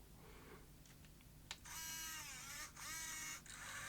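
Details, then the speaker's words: Sony BE-V8 8mm tape rewinder/eraser (1985) erasing on fast forward: soft click as the motor steps to swing the permanent eraser magnet across, then a steady high spooling whir that dips and recovers; normal operation. "You hear the extra motor step as it moves that magnet across."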